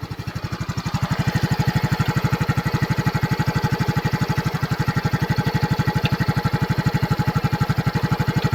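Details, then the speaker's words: Yamaha scooter after flood water was cleared from the carburetor, engine warm; idles with an even, fast pulse of about four beats a second and a light tapping on top, abnormal noise, oil change needed after water contamination. "So may narinig tayong tunog. Kailangan to change oil."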